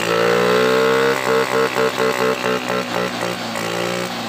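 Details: Honda Beat single-cylinder scooter converted from fuel injection to carburetor: holds a clean note, then takes short throttle blips that rise and settle evenly, running smoothly without misfiring.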